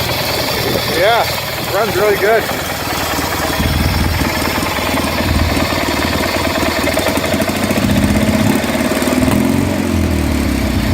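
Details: Replacement Kohler M18 twin-cylinder in Craftsman GT 6000 tractor, cold just after start: steady even putter at low idle, no knocks or misses; normal idle, though owner mentions hearing a bearing.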